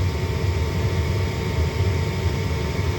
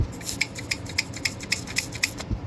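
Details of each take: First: Lennox/Ducane furnace after replacing a faulty pressure switch (pressure-switch-open fault code): steady low hum with an even whoosh of air and no rattles or surging; the draft inducer runs normally. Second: Lennox/Ducane furnace pressure switch chattering open and closed about four times a second over a low furnace hum; causes could be heat exchanger, drainage if 90% unit, bad switch or stuck diaphragm; switch being replaced.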